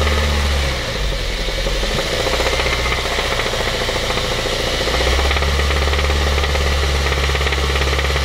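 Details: 2004 Honda Civic Type R EP3 petrol engine idling with a steady, fairly quick knock, about three or four a second, over a low hum.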